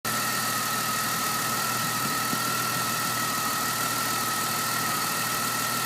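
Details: Engine idling with a thin, constant hiss and whistle over the engine note, exhaust escaping at a leaking header joint, located using Seafoam; new equal-length headers planned.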